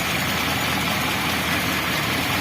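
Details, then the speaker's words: Toyota Kijang 2000 with the 1RZ 2.0L engine, limping and lacking power, idles low, uneven and stumbling with dropped pulses; cylinder 4 misfires from a compression leak, and pulling its plug lead changes nothing. "Kita lihat nomor 4 dulu. Nah, yang kemarin tak lihat kelihatan banget itu nomor 4. Kompresinya ada bocor."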